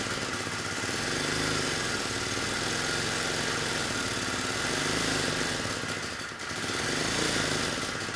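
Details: 1970 Honda E400 generator, not run in over a decade, uncleaned carburetor: speed swells and sags every few seconds instead of holding steady, output peaking about 5 V AC versus 120 V; dirty carburetor, generator head issue also possible.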